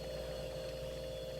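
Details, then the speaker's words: Steady, even, mid-pitched hum as the compressor of a 16-year-old, once-flooded water cooler starts and runs smoothly on the first try after a part replacement. "yes yes oh she's running that's all it took oh that is just brilliant"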